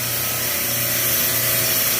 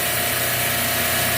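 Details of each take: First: Supermarket refrigeration rack, high suction pressure (85), compressors possibly off on overload, multiple cases warm: constant hum under a loud, rough, hissing rush at the compressor; hot gas solenoid sticking open. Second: Refrigeration compressor rack with a sticking hot gas solenoid, after that circuit was closed and suction pressure began dropping from 63: a steady, even hiss and hum with no knocking or rattle; the noise went away and the rack runs smoothly.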